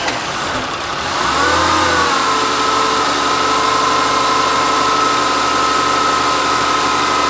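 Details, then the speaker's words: BMW 520i, stock M52B20, first start on a MAP-based Speeduino v0.4.3 plug-and-play ECU, car brought in from well below zero, cold start untuned: starts a bit hard, then settles into a smooth, even cold idle. "yeah it now runs on speeduino. Those leds show the injectors and coils firing. And it runs silky smooth."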